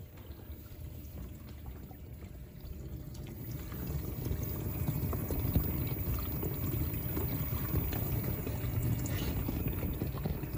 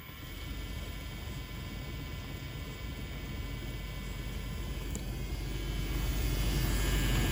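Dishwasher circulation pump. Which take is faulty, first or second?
second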